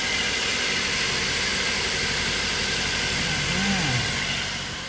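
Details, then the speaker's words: 2008 Mazda 3 at nearly 200,000 km, idling in neutral after replacing the drive/serpentine and AC belts (Dayco). The earlier belt noise is gone, with a steady, even idle and no squeal or chirp. Normal idle. "let's start it up and see [Music] the noise is gone that's awesome"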